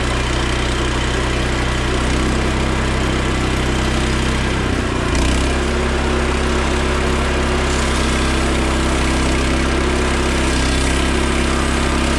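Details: Frontier OS27 portable sawmill on its first cut after swapping the 13HP Briggs & Stratton for a 15HP Harbor Freight Predator: a steady drone that dips briefly as the blade bites, then recovers cleanly. It runs better and starts easier.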